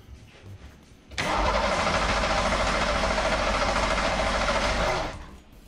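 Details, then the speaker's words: Ford Taurus SHO engine in teardown project, five seconds of harsh, uneven cranking at about three and a half pulses a second with a shaky rumble and bad vibration; possibly a motor mount, cause unclear. "that does not sound good I don't know why but it just doesn't it's got a real bad vibration to it"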